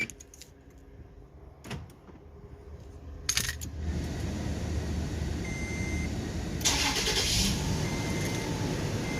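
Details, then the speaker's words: 2014 Toyota Tacoma with newly installed Compustar 7900AS alarm/remote start and Blade TB bypass, tach sensing: a lock click, then the starter catches after a few seconds into a steady idle; remote start working. "Now to test it, let's lock. Remote start. It will unlock."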